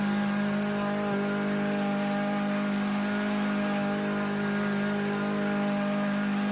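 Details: Troy-Bilt TB110 mower, Briggs & Stratton engine, repaired after it sat for a few months and then stopped working: steady, even drone at a constant speed with no misses, surging or knocking; normal running.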